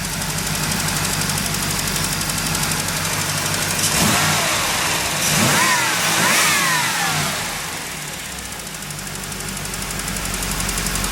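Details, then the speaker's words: 1989 Trans Am V8 warming up at idle after new plugs: even idle with light quick injector ticking and clean blips; oil pressure, no check engine light, sounds as it should. "can hear the injectors ticking. Everything sounds like it's supposed to."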